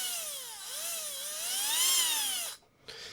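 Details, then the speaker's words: Tamiya Hornet RC car with a 540 motor, run after the 380 Sport Tuned motor was cooked: a clean high whine rising and falling smoothly with throttle, no vibration or roughness, a healthy motor. "I know the 540 is a bigger, chunkier motor, but but there's no vibration at all."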